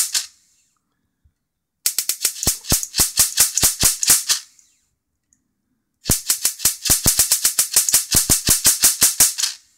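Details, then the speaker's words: Mitsubishi Diamond Plus 93 SB CRT monitor, flyback with built-in capacitor tested in circuit. Two bursts of sharp, fast crackling snaps at about six per second, then silence, with an arc of about 25–30 mm. The flyback is healthy and arcing strongly. "there you go every now and again you hear it come in with the uh plasma sort of sound"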